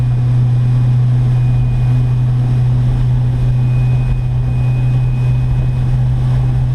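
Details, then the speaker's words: Electric boat Delta with 4-bladed prop at about 3600 rpm, 39 at 166–168 A and 149 V: loud steady drone and heavy hull buzz; owner suspects prop wash hitting the hull too much. "and that's uh 3600 rpm but i can just hear that there's a lot of vibration coming into the boat probably the prop wash is being hit up too much"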